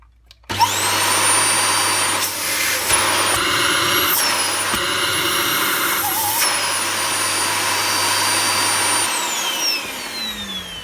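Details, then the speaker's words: Dyson DC25 upright vacuum, post-motor filter refitted: loud steady roar with thin piercing whistle dropping as it runs down; noise test suggests the canister and filter combination is the problem. "so from that noise test it was enough to tell me that it's probably the canister filter combination that's the problem"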